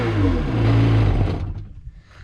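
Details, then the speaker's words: 2003 Sea-Doo XP DI 951 two-stroke after replacing voltage regulator, briefly run out of water: deep, raspy, even burst before shutting off; sounds good. "definitely sounds good raspy sounds good"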